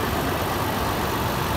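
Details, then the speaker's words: 2011 Toyota Land Cruiser Prado VX, automatic, engine bay at idle: steady even hum with soft hiss, no knocks or ticks; very clean, very quiet, normal idle. "very clean very quiet and very neat"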